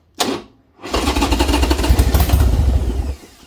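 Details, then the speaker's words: Harley Sportster just reassembled after intake gasket work, running only with the choke pulled: brief crank, then the engine catches rough and uneven for about two seconds before dying; it struggles to keep running. "I gotta pull the choke it's the only way this thing will run right now which is weird"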